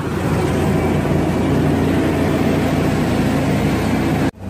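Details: Smooth, even V6 idle with a steady low rumble and no ticking or misfire until shutoff, from a Chevy Blazer/GMC Jimmy 4.3 after head gasket replacement; oil pressure 45–50 psi, temperature about 150, 14 volts; normal idle.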